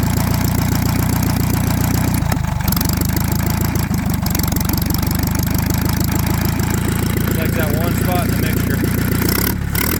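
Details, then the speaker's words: Antique Saxon motor car engine after about 30 minutes' running: steady idle with a faint quick even ticking chatter; owner hears noise behind the timing cover, sounds like gears, plans to dismantle and check. "I do hear a little bit noise behind the timing cover I do hear a little bit of noise behind the timing cover not sure if the camera picks it up"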